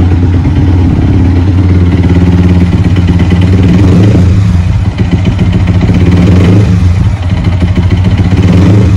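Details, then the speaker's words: Yamaha R15 V3, bored-up engine, hard to start with suspected lost compression and broken electric starter gear or one-way clutch: loud irregular knocking clatter at idle, about three to four per second, easing as revs rise. "Jadi kalian itu udah tahu kan, suara mesinnya itu kayak ada yang nggak normal gitu kalau misalnya dinyalain."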